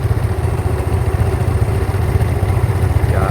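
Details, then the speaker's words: 2012 Yamaha Mio S/Fino scooter idling: a rough, uneven crackling rattle at about three or four pulses a second from a side cover. Owner suspects a loose inner part or spring beside the clutch bell; source not found. "E dan jeleknya di motor Mio di bagian ini tutup ini kadang bunyi krekrek KK krek entah ininya yang kendor atau bagian delapa eh bagian dalamnya bagian pir itu kendor ya"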